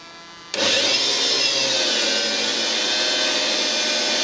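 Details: Washing-machine universal motor powering a lathe, running with spindle belt removed, before bearing replacement: loud, steady high-pitched whine and rush; noise comes from the motor itself, not the spindle.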